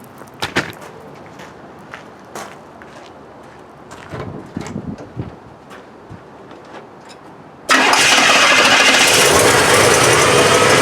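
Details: 1968 Cadillac DeVille with a new Edelbrock 1411 750 CFM carburetor replacing the old carb and a replaced vacuum advance, mixture and timing not yet adjusted. After some clicking the engine catches and settles into a steady, even idle with no misfires or knocks.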